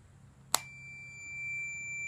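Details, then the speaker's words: John Deere PTO clutch switch, new replacement, tested with continuity tester: sharp click, then a steady unbroken high-pitched beep when closed and silence when the switch is pulled out; the new switch is good, the old one silent and faulty. "And that's the sound it should be making. Now, if I pull the switch out, it goes off."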